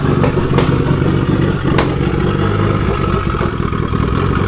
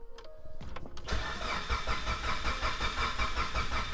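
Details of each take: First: Evo 8 with Manley rods, Wiseco pistons, HKS 272 cams and EGR/evap delete on its first startup; steady low idle with sharp isolated pops, and the wideband reads fully lean. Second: Mitsubishi Evo 8 rebuilt with Manley rods, Wiseco pistons and HKS 272 cams, cranked with the crank sensor unplugged so it won't start, to check for noises and fuel leaks: a click, then an even, steady turnover with no knocks or scraping; sounds healthy.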